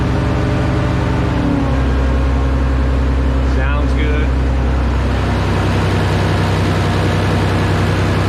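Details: Minneapolis Moline A4T 1600 diesel tractor, first start after months of work on steering cylinders and fuel lines: even diesel clatter, revs shifting around mid-range then settling, no knocks or misfires, good oil pressure; normal idle.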